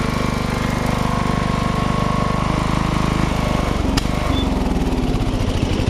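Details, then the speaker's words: Riding mower starting with a part unplugged; engine revs hunt up and down instead of holding steady. Engine surging. "I found that if I unhook this, I'm able to start it up, but it surges like an SOB."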